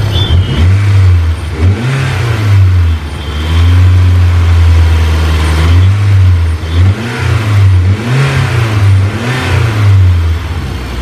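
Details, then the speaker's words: DSM Eagle Talon after a head gasket and transmission rebuild, about ten minutes running: a deep, steady exhaust note with quick, clean revs that climb and drop fast without misses or knocks. Normal running. "this thing's been running for ten minutes maybe a little bit more and so far it is just like perfect I could not be happier"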